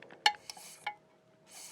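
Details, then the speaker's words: Rheem water heater blower pressure switch, bench-tested by blowing and sucking with the mic in front; faint sharp clicks with a lag before it snaps over. The switch is hanging up inside, so it's a bad pressure switch needing replacement. "so it clicked see you hear the delay there if i suck on it it opens and closes that pressure switch is hanging up inside so it's most definitely a bad pressure switch"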